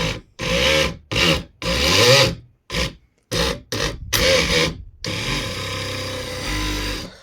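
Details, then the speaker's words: 10hp electric outboard jet motor, freshly tightened with new gaskets, surges in uneven bursts with a harsh rasping grind. The motor turns but got very hot; the owner suspects something is blocking it, perhaps airflow. "I don't know if there's an airflow here actually. Sounds like something is blocked there. So it worked for a while, but not now."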